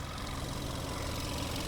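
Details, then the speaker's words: $3,000 Dubai auction car after a full engine rebuild to cure a knocking sound. Even, steady idle rumble with no knock or tick; the smoke seen earlier clears and the engine runs smoothly. "Oh, no Now more smoke. no smoke. Just sounds like a happy engine."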